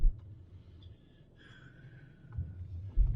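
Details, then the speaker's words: 2013 Ford Edge Limited AWD on a test drive at steady cruise after replacing a rear axle to cure a rear growl: only soft low road rumble, no growl or whine from the back; quiet rear drivetrain. "oh yeah no more noise no more growling stuff back there"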